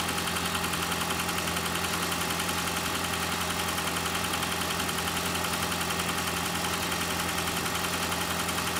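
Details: Engine idling during oil pressure test on a 2012 Toyota Prius 2ZR-FXE: a sharp, regular tapping at about two per second over the engine note. Pressure reading reaches 60 and then drops slightly. Knock cause unknown.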